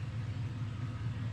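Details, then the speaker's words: LS-swapped Chevy C10 converted from carburetor to stock fuel injection, after cleaning fouled injectors that caused misfires: low, soft, even idle rumble with no misfire, running quiet and healthy. "So I cleaned them out real good, put it back together, and it's honestly running beautifully. I mean, you can hear it. There ain't a misfire. It's quiet. It sounds healthy, really nice."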